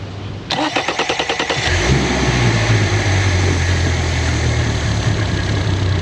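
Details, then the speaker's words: Mercury 4-stroke, 4-cylinder outboard (title says 115 HP, description says 150hp Pro XS) started cold after an oil and filter change, with no active trouble codes. Quick cranking catches within a second, then a steady, even low idle: normal start. "Oh yeah, she runs great."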